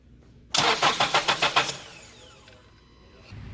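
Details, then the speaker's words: Engine cranks about eight quick even starter pulses over a second and stops without catching; crank-no-start, cause not yet known, security system showed no fault; spark being checked with test light, screwdriver or old spark plug. "these are just some ways you can some directional testing that you can use to diagnose a crank nose start there are more"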